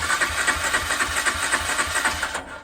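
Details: 2004 Honda CG125 barn find, two owners, unrun about 15 years, choke on: even starter churn about four beats a second that never catches, then stops. Throttle cable seized solid.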